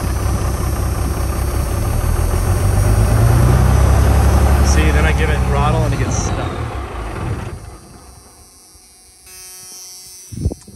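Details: Cummins-swapped diesel truck idle for over a year, mechanical lift pump not building pressure: deep rumble stumbles and sags under throttle then falls off; fuel starvation from clogged tank pickup screen.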